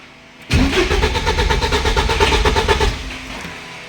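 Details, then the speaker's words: 1986 Porsche 944 Turbo with the control unit and wiring checked and a test lamp on an injector to check for pulse. The starter churns evenly for about 2.5 seconds, with no firing. Cranks but won't start. "Всё это проверено, но машина не заводится."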